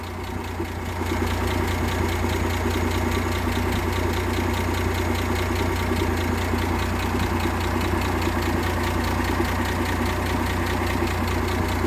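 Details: 1958 AMC Rambler Super with Weber carb refitted and new distributor cap replacing a possibly faulty original; idles smoothly and evenly with no stumbles, misfire apparently gone.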